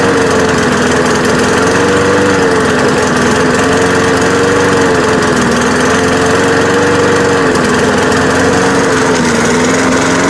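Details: Free, trashed lawn mower after fixing a stuck carburetor float and a fuel leak: runs steadily at speed with a slightly wavering, uneven pitch. It runs rough, not perfect, but it works and cuts grass.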